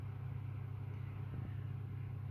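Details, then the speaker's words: AEG 49106IU-MN double oven after top oven grill element replacement: smooth, even low hum from the cooling fan with no rattle, scrape or wobble; oven working perfectly. "It's a Aeg 49106Iu-Mn, and it's working beautiful now, look, perfect."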